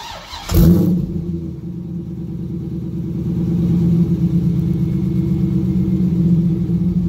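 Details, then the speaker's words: Corvette Z06 V8 cold start after replacing valve springs and pushrods; catches with a bark then settles to deep steady idle; valves slightly louder because the stronger springs make valves smack, otherwise sounds good. "all right so it sounds pretty darn good the valves are a little bit loud but that's just because the springs are a lot stronger and it's making the valve smack onto the top of the head"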